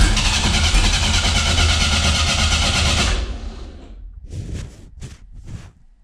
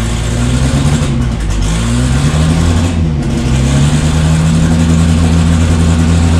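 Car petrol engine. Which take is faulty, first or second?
first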